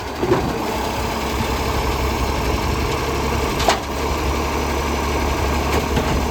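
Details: Diesel idling with a deep, steady rumbling roar and a few clanks, louder and rougher than a sound exhaust; suspected exhaust leak, not confirmed.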